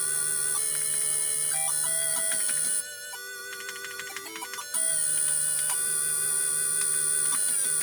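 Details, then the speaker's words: MiSTeryNano FPGA Atari ST/STE clone: chiptune music with a constant high-pitched buzz over it, absent on AY music then returning; audio output buzzing fault. "Christ almighty, that buzzing does my head right in. So that's problem number one that I found of it."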